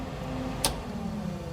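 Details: 1967 Chevy C10 Stepside heater blower motor switched by hand to medium: a click, then a low, even motor hum with no scraping or rattle; blower runs smoothly at middle speed.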